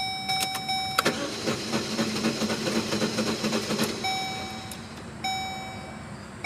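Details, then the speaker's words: Car (16 years with the previous owner, 1 with the current one) won't start. When the key is turned there are dash chimes and faint clicks but no cranking; everything is dead. The owner suspects it burned oil and the engine seized; unconfirmed. "everything's just dead. Everything. So I suspect the engine was burning through oil, and now the engine is seized up, and I have no more car."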